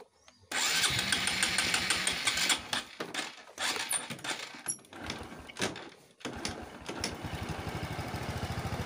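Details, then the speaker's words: Motorcycle carburetor reinstalled after a fix for flooding, first start: engine fires and settles into a fairly even, rapid idle over some handling clatter, with no stumbling or flooding sound. "Coba kita hidupkan semoga tidak banjir lagi"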